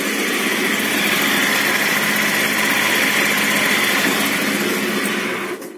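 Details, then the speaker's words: Scooter at idle with a whine that persisted after a rebuild. A steady high squeal with gritty grinding rides over the idle; the owner suspects bearing noise, not confirmed. "вот этот шум кстати очень похожи на подшипниковые шум вот и иногда такой знаете как как про скребла не какой то непонятно"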